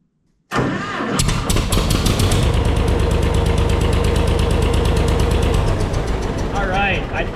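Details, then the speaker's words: John Deere 630 tractor after fixing a bad self-priming fuel sediment bowl (carb possibly dirty); catches almost at once after brief cranking and settles into a steady, even chuffing idle, starts and runs normally. "Um, now that that's fixed, it's running. I mean, you guys hear it. It starts right up."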